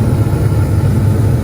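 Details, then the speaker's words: Attic gas furnace after igniter and flame sensor reconnected: steady even low hum with no knocks, scraping or wobble as fan starts after ignition; blower starting and running normally. "Okay. Couple seconds now, and fan will start. Beginning, yes, until the flame starts."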